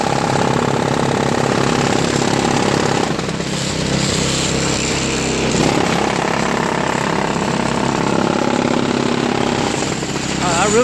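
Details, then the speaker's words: Craftsman 5HP 22-inch single-stage four-cycle snowblower with new homemade floor-mat auger paddles: loud steady engine roar with rapid rough slapping chatter, about three beats a second, as the paddles hit the scraper bar; owner considers trimming them more. "I don't know if that's good or not I mean it will eventually just rub out but I don't know if I should trim a little bit more off because it's hitting the scraper bar"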